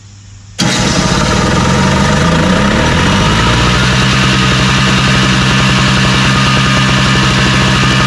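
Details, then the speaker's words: Craftsman snowblower, primed, started with electric start after pull starts and carb spray failed: brief starter whir, catches instantly, then steady even putter around four beats a second, no misses; nothing wrong with it. "so well there ain't no nothing wrong with this i just go ahead and put this up and sell it"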